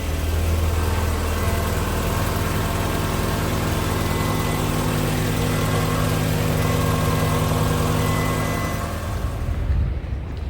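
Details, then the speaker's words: 1997 Fiat Barchetta started on a battery booster pack, with a bit of a squeak from the starter motor, then idling with a steady, even low hum and no knocks: normal idle. "Bit of a squeak, but that's the starter motor. So, not bad. Doesn't sound too bad actually."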